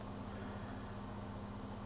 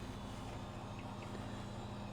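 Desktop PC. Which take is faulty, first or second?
second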